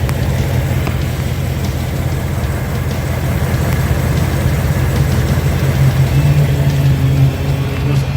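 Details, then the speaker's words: 2018-2019 Ford Mustang GT, after second oil change, microphone under driver side: deep, even idle rumble with no tick; previously reported engine tick absent despite hard driving through winter. Normal idle. "well I'm happy to say after my second oil change and after the rizz loan the engine at it is still no tick and the cars been driven hard"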